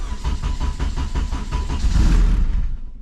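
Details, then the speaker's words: 2008 Mugen Civic Si AWD build, cold start, clutch in, no throttle; starter churns about four beats a second for nearly two seconds before catching. Long crank, hard start. "Definitely have to work on that, boys. Come on, girl. There she goes."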